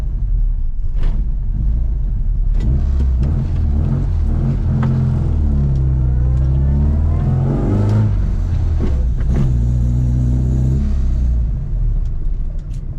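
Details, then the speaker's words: Classic Mini John Cooper conversion with newly fitted twin SU carburetors, first start: engine runs slow and lumpy with deep rumble, picks up briefly on a blip then sags; idle too low. "Oh, idle's a bit low."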